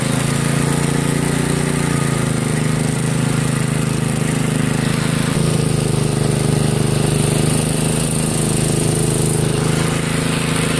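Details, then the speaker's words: 1963 MTD Lawn Flite lawn tractor after ignition rebuild, mowing: small single drones steadily at high unchanging speed, not settling back; running too fast, owner says throttle and governor aren't right, had to throttle all the way down. "the throttle and the governor aren't quite right it started to run in a bit too fast and I had to throttle all the way down"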